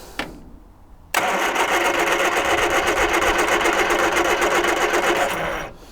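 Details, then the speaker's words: 1978 Triumph Spitfire 1500, sat for years, with new clear fuel filter: four and a half seconds of brisk regular cranking, no firing; cranks but won't start, owner suspects fuel pump isn't pumping. "and I can see because I got that fuel filter in now and it's it's got a clear case there's no fuel being pumped I don't think by this pump now"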